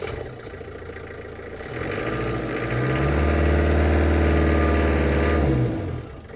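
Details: Land Rover Defender 110 diesel, off the road for 10 years, first start with new battery to check the faulty alternator: picks up and settles into a steady, even idle with smooth regular beat, no odd noises.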